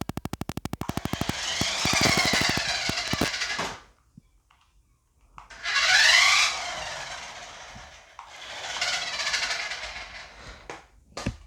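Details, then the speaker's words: Cheap plastic RC toy truck that barely turns; at every power-on, rapid clicking then loud high-pitched whirring bursts rising and falling from the drive. Cause suspected, not confirmed. "now every time you turn it on and try it out it makes the annoying loud noise look listen to it again"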